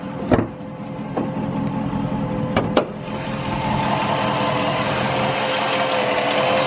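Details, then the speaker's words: Chrysler/Dodge Hemi V8 idling with a thin, steady whine from a failing alternator; battery light on, voltage dropping to about 11.9–12.6 V instead of 13.5–14 V. "I don't know if you hear the whining noise but that's probably a bad alternator"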